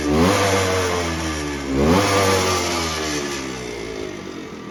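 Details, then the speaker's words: 1974 Suzuki TC125 Enduro two-stroke, 6189 miles, stood a while; carb needs cleaning: engine blipped and sagging whenever throttle drops, never settling into idle; won't hold idle. "I'll start it up, but it's not ticking over, so"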